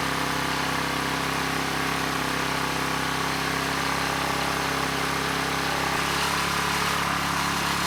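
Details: ETQ 2700-watt generator with brushless powerhead, after carburetor work keeping the original jetting: steady, even drone with no surging but pitched too high, 70 Hz with no load; engine overspeed from misadjusted governor.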